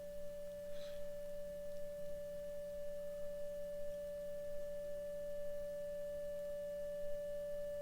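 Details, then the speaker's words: 1935 Philco 54C field-coil speaker with patched cone: steady mid-pitched test tone, volume rising as field coil current is raised from 2 toward 40 mA (strengthening magnetic field); no buzz, rattle or distortion, reproducing properly. "so if it's working the volume will go up because the magnetic field will be getting stronger so you help me listen for it also and watch this by dial do not let this go over 40 ok there's 10"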